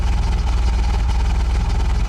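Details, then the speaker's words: Chevy Cavalier needing a tune-up, warm and running hot: idle pulses unevenly with random stumbles and hesitation that worsen as it warms; misfire suspected, cause not confirmed. "is not the definition of a smooth running engine just seems real rough to me"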